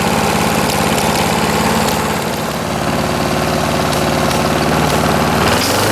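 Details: 1989 Lawn-Boy S21ZPN push mower refitted with a 4.5 hp Tecumseh Eager 1 engine, from cold start, about half throttle: loud even single-cylinder putter, no misses or knocks; healthy running.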